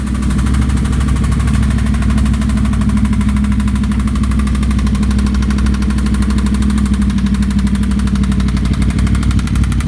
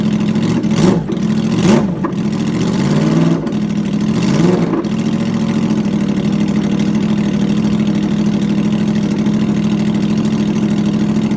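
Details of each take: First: 2009 Yamaha R1 with short Graves exhaust, before engine teardown: loud rough idle with dull uneven knocking under firing; rod knock from one connecting rod's bearings overlapping each other, crank slightly damaged. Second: 2009 Yamaha R1 first start after rebuild with new connecting rod bearings and sanded crank, loud exhaust: a few sharp revs then steady even idle with no knocks; normal idle.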